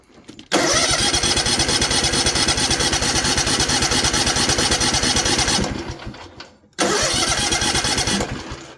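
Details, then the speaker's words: Newly rebuilt Kawasaki FR730V V-twin mower engine that lost power after getting wet, plug wire pulled on one side: runs rough about five seconds, then sags and dies, restarts and fades again; the other cylinder is dead. "No, we won't. So, what's that tell you? Right. That tells me that this side of the engine is dead."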